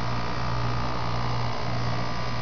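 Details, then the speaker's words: Armstrong Concept 1000 heat pump outdoor fan after the motor was replaced; it cycled off three or four times before staying on, and the capacitor is in doubt. Now a steady low hum and airy whoosh with no rattles. Normal fan running. "but ban works great that's pretty cool how it looks like the blades actually spinning slow right there"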